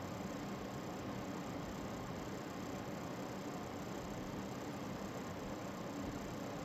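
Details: Lian Li TL LCD 120 case fan under a year old, set to full speed: steady whoosh with a constant fine rattle, cause unknown.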